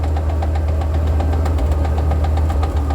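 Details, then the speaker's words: 1940 Ford with a new clutch and fully overhauled gearbox: light, quick, regular ticking over a steady low idle rumble with the clutch engaged; the tick stops when the clutch pedal is pressed and returns when released. "Assim, Henrique, tá escutando o barulho que tá fazendo aqui, ó? Ó, tec, tec, tec, tec, tá"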